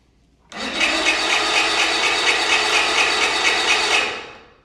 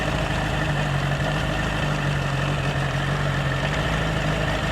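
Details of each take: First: 40-year-old Bass Tracker outboard, sat for years, primed with fuel and water supplied: high buzzing whir with a steady pulse runs three seconds, then dies away with no firing; cranks but won't start. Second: 1985 Bass Tracker outboard after sitting: low, even idle with steady beat, no knocking or stumbling; runs smooth but is smoking, and the water pump isn't pumping, no water from the tell-tale.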